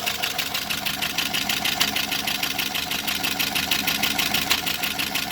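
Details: 2009 Pontiac G8 GT with cam and DOD delete, bought used at 121,000 miles, under 1,000 miles since: fast sharp ticking at about three per second over idle; owner suspects lifter tick, possibly a botched DOD delete.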